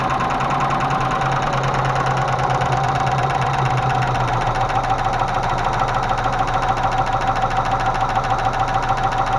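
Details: Range Rover Classic 3.5 V8 at idle: steady rapid tapping, about three per second, with the idle, from hydraulic lifters. Intake manifold removed and cleaned, lifters checked, gaskets cut, radiator soldered; oil spilled via unscrewed oil pressure sensor.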